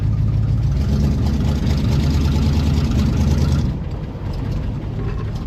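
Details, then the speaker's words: Pontiac Grand LeMans V8, first drive after years off the road: deep burble with an uneven lumpy beat, about 3.5 pulses per second, not settling; rough running that the owner suspects is timing or the carb. "That's frustrating. Didn't do that before. Maybe we'll give it another go. That sounds more like timing to me."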